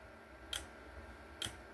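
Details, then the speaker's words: Voltage relay wired to oscillate, just switched on by turning the voltage up: two sharp, crisp clicks about a second apart in a quiet room. The relay is clicking away normally. "And it's oscillating. So you can see it's working there. You can hear it clicking away."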